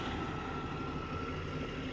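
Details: 1996 Jaguar XJ6 idling the day after repair, computer relearning: steady idle with faint regular lope coming around evenly every few beats, like a slight miss on one cylinder.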